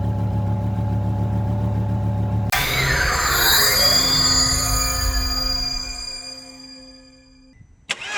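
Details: Volvo XC90 engine start: engine catches with a whoosh, then a sweeping whistling tone and steady hum for a few seconds before fading; unusual noise, cause unknown.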